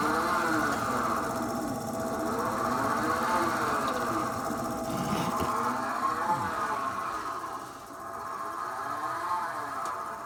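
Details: Thelin Gnome pellet stove made before 2009: variable-pitch whirring whine over a steady hum when running on low or medium, stove does not work on high; probably the auger feed motor, new auger feed assembly suggested.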